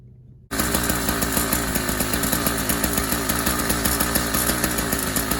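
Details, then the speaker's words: YD100 two-stroke bicycle engine just installed on a Kent Bayside Cruiser, started on full choke on a cold day: fires instantly into a crisp, rapid, regular buzz that holds steady; healthy start. "fired right up made the full choking at the beginning because it is a cold day here"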